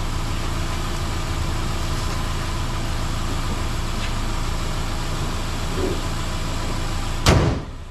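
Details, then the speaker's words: 2010 Subaru Impreza with rebuilt EJ253 (new rings, bearings, gaskets) after final assembly and a heat cycle, started on a jump pack: smooth, even idle with a steady low hum and no knocks or ticks, like a sewing machine; a door thuds at the end. "all right that's good now this sounds like a sewing machine"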